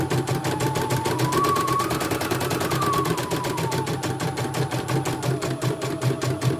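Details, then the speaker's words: CNY E900 embroidery machine with heavy rotation and a hissing noise, after replacing the motor and testing the sensor: fast, even clatter of about seven stitches a second with no skips or stumbles, running normally. "bagus, nggak ada loncatannya."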